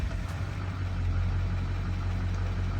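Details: 2007 Duramax LBZ 6.6 L diesel idling with a deep, steady rumble and an even beat, with no knocks or rattles; a healthy idle.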